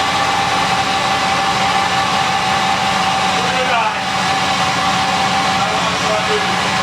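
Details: 1979 Lincoln Continental Mark V Bill Blass V8, about 49,000 miles, cold start after sitting 8 years with new AGM battery: settles into a steady, even idle with constant low rumble, no knocks or stumbles.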